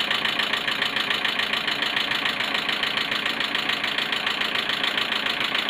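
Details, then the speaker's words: Engine after a head gasket replacement with the timing not fully set, warm after almost an hour of running. At idle there is a light, even tapping of about 140 per minute from the valve area; it runs smooth when cold but ticks like a diesel when warm. The owner suspects the tensioner or an oil overfill. "No bo cyka. Chodzi jak diesel, kurde."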